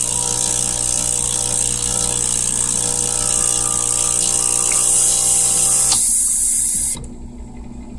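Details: Saeco 200 coffee machine: a fast, rough clatter of about three clicks a second over the pump hum, then it cuts off; loud, abnormal clicking, cause unclear.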